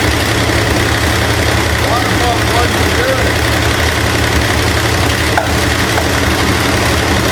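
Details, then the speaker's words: Abandoned 1968 Ford LTD on a later start after intake and water pump work. Loud uneven idle with ticking chatter and popping back through the carb; a stuck valve, bent pushrod or a loose, jumping timing chain is suspected; cam already somewhat damaged. "timing chain could just be super loose and it's jumping time or something but either way the intake is going to have to come back off"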